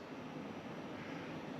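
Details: Pioneer Diamante 9k ductless mini-split, newly installed and evacuated, indoor unit at first power-on, fins opening: soft, even rush of air with faint low hum, no rattles or knocks; normal startup.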